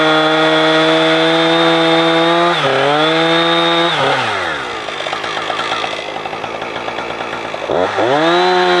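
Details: Husqvarna 455 Rancher two-stroke chainsaw, warmed up, cutting after a fuel filter change; it had choked when warm. Crisp high rev drops and holds steady in the cut, then climbs cleanly out; old filter found discolored.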